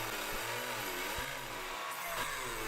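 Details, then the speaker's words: Router motor whine sags and recovers repeatedly, speed control working hard to hold speed, as it flattens a slab on a router sled, cutting up to 5/16 inch deep; bogging under heavy load but finishes. "s able to get it done and then the router definitely as you slow the bit down and actually seems to lose a little bit of the power that it has I guess you know you can hear the speed control really trying to you know work hard to keep it at the proper speed"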